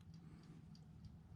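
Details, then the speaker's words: TORK A512H spring-wound in-wall 12-hour twist timer, shut off: quiet, steady mechanical ticking about three per second without stumbles, still ticking; normal operation. "You can hear it ticking. I'm going to shut it back off. See if that ticking just goes away while we look at the manual. Still ticking."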